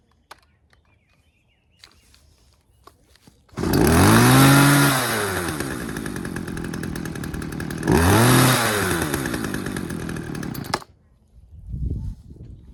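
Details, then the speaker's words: Poulan 2150LX two-stroke chainsaw after recoil spring replacement screams to high revs and hangs there instead of dropping back, twice; throttle sticking because a fuel line was fouling the throttle linkage. "All right, sounds like the throttle is sticking a little bit. Let me see what's going on here."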